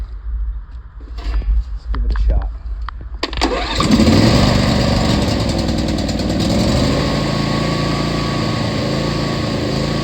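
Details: John Deere D140 lawn tractor, unused about four years, after old gas siphoned, new battery, solenoid, spark plugs and fuel filter and cleaned carburetor; a few clicks and cranking, then the small single fires and holds a steady even buzz; normal start and idle.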